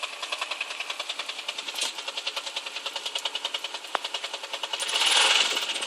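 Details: 135LC small motorcycle engine at idle with a quick, steady metallic knock ticking along with the engine rhythm; the source of the knock is unknown.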